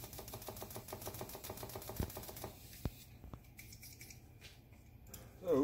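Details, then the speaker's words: Clean LS fuel injector clicking crisply and evenly about ten times a second, fired at about 20 psi on a test rig after the first of three ultrasonic cleaning passes; the spray pattern looks good, normal operation. "so it looks good you can hear it clicking"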